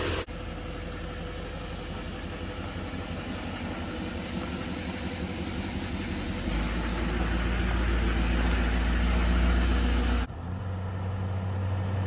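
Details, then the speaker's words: 2011-16 Duramax LML diesel truck after Airdog lift pump install, on hoist checking for leaks: steady, even idle clatter with no misses, surges or pump whine; runs healthy, new pump very quiet. "We are looking good. Really quiet too. I like how quiet that pump is."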